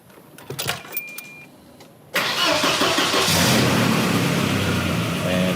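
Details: Volvo 240 after timing belt, struts, oil leak and motor mount work, oil filter just changed: short crank, then the engine catches cleanly and settles into a steady, even idle with no knocks or misses; healthy start, charging normally.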